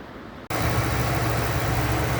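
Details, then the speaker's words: 1999 Ford F-250 Super Duty V10 at 268,788 miles, idling after a blown #10 spark plug and a full plug change to Bosch Platinum +2 4304. A smooth, even low rumble with a steady beat and no ticking or misses. "she's purring like a kitten, running smooth, no lift or tap, sounds good."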